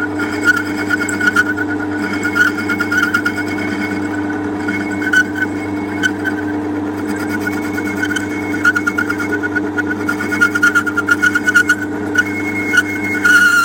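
Small motor hum and a steady drive whir with light intermittent cutting ticks: the little lathe turns smoothly under load.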